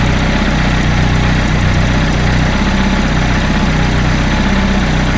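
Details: Peugeot 205 freshly rebuilt engine, first start with firing order 1-3-4-2 and ignition timing set only by eye: loud, lumpy idle with an uneven, shaky beat under a constant drone; rough running.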